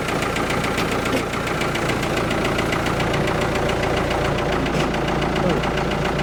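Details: Abandoned Ford 655A backhoe diesel, just started after sitting since the owner passed, in neutral: even idle clatter about three and a half ticks per second, no misses or surging; sounds real good, healthy idle.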